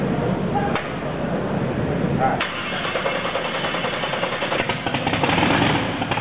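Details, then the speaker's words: Blown gas big-block Chevy on a test stand, 6-71 blower with Enderle mechanical fuel injection, just fired up: catches, then settles into an uneven, rhythmic lumpy idle under blower whine; normal lopey idle. "so it's not going to idle roll smooth it's going to be just like a race car it's going to rock and roll"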